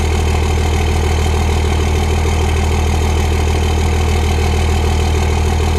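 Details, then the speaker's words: Turbo diesel pickup truck idling, somewhat smoky, with exhaust from the turbo; deep steady diesel rumble with even beat, no knocks or misses; normal idle. "sounds good but it's kind of smoky though"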